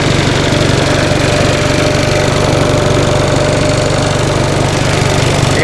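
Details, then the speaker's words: 1945 Onan single-cylinder generator after rebuild with cleaned plugs gapped at 0.030 in and new seals and gaskets, charging hard under load: steady even chug about four beats a second, no knocks or misses. "turn that down a little bit charging hard there we go isn't that a nice sounding little generator"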